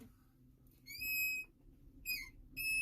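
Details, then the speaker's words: Ford F550 with vacuum brake assist: sharp, high-pitched whistling squeal in three short bursts from under the dash on each hard brake pedal push. The brake booster is leaking vacuum. "this has what's known as vacuum boost brake assist and when you push in the pedal it pushes in that plunger but if we have a leak hear that slight hissing sound and i push really hard let's see if i can do it there we go we start leaking vacuum"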